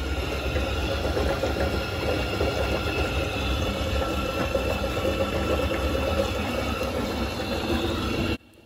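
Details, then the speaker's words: Ideal Logic condensing boiler running with an uneven bubbling gurgle; blocked condensate trap or outlet backing water into the heat exchanger (not frozen, weather too mild). "gurgling sound you can hear will be because the condenser trap is blocked and the border is fighting against or there's water in the heat exchanger"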